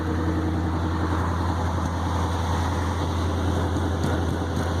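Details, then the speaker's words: 1965 International Loadstar 1700 truck at first start after pickup: deep, steady low rumble with even beat, no knocks or misses; smooth idle, only an exhaust manifold leak and high idle from a suspected vacuum leak noted. "I'll tell you what you want a good running motor that sure is it that thing sounds great not missing a beat"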